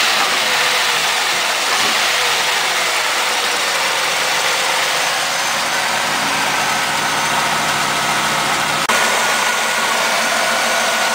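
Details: Firebird LT1 V8, under 100,000 miles, just jump-started after sitting 6 months with weak battery: settles into a steady, even idle without stumbling or misfires; normal idle.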